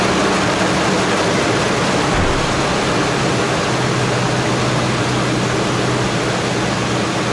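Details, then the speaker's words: 2006 Toyota Tacoma towed in for no-start and clicking, found with over 20 A battery draw with key off; alternator suspected. With the alternator cable disconnected and starter warm (~100°), brief crank then engine catches and runs steady with no clicking; normal start. "it starts Paige starts alright so this vehicle starts from disconnecting that alternator starting cable from the alternator"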